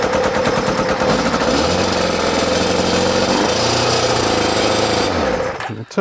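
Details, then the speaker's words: ZZR600 under restoration, first start on choke after exhaust work: harsh, ragged, crackling roar for about five seconds, then it cuts out. Extremely loud because the silencer has no baffle; owner plans to fit a cap in the exhaust. "it off cuz that is proper noisy. So I'm going to put the uh the little cap in to make that a bit quieter."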